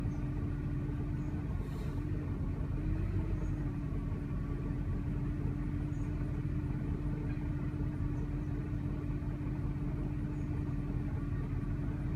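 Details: 2000 Jeep Grand Cherokee 4.7L V8, warm, rough lumpy uneven idle with faint steady hum; stalls intermittently. Throttle body cleaned, plugs, fuel filter, TPS, IAC and purge solenoid replaced without fixing it; purge solenoid code persists from bad PCM connection. Cause unknown.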